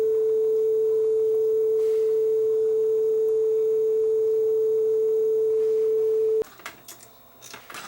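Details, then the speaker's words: Sony TC-W32 dual cassette deck, about 40 years old, after belt work; both transports are driven by one motor via two belts. The B side plays a clean steady tone of about 450 Hz without wobble, then stops: low flutter, as good as it gets. "now they're both driven from the same motor by two separate belts but the bide certainly sounds a lot better this is about as good as I'm going to get this"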